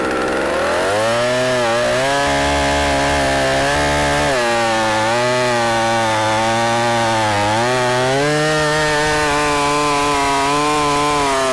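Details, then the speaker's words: 44-year-old vintage Husqvarna L65 chainsaw with points ignition, brought out of retirement, cutting a big oak log; strong steady two-stroke drone that dips and recovers as the chain bites, pulling evenly. Still cuts well despite its age. "it's amazing how well it still cuts after all it is cut and as old as it is"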